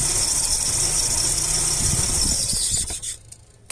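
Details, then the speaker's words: Engine running with the MAF sensor unplugged: a shrill, wavering note with an uneven, unstable rhythm, then it stalls when throttle is applied after about three seconds. Rough idle and stall from the disconnected MAF. "que en este vehículo al desconectar el Maf falla de esta manera se siente la inestabilidad y cuando aceleras se"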